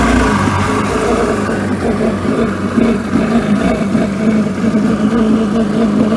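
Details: 1996 Mastercraft Wetjet Duo jet ski, revived after years of neglect with the water box refitted: dense, steady two-stroke buzz that holds and swells with throttle, no stumbling or cutting out; runs cleanly.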